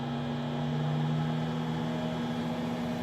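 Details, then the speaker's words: 60 W CO2 laser cutter exhaust blower slowed by a light-switch dimmer speed control: smooth even motor hum with steady low tone and soft air rush, no rattles or surging; about half the noise while still extracting air. "there you go and that's pretty much good workable exhaust basically a lot less noise and you can still get the air out of the machine"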